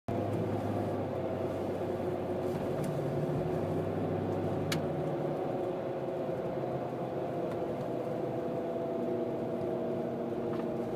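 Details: Mercedes-Benz W163 engine running with a faint, even whine holding steady pitch over the engine drone; source of the whine not identified.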